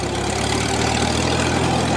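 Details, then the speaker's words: 1955 Farmall (International) 400 tractor with Du-Al 345 loader, hours unknown, driven through gears: steady low engine drone with even beat under load, no knocking or tapping; engine runs healthy. "And the little shit sounds good."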